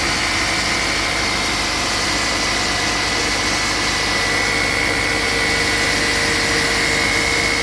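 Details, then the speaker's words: 2013 Chrysler 200, noise from front where alternator and power steering pump bolt together, after a cold snap; engine held at 1500 rpm via scan tool, stethoscope/pulse sensor: thin steady high whir over hiss; failing alternator clutch pulley. "Making a little bit more noise now. Maybe we'll pick up a bigger difference with the scope."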